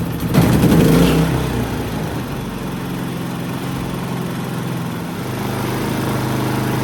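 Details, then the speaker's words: Harbor Freight Predator 3500 inverter generator after maintenance with BPR8-type spark plug gapped about 0.030–0.031 in, warmed to operating temperature: brief surge at start then steady even hum, no misses or hunting; running fine. "all right so it's up to operating temperature pretty pretty uh pretty warm so uh it seemed to be running pretty pretty decent with the brp8"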